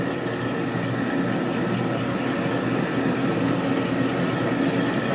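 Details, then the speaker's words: Machining a part for a 1957 Harley panhead drag bike: a steady, even machining hum with no squeal, chatter or labouring; a fast feed rate at the sweet spot with good chip clearance and chips not blue or overheating. "So this is a good speed right here. It's pretty good chip out. Pretty nice at this speed. It seems to be the sweet spot for the speed."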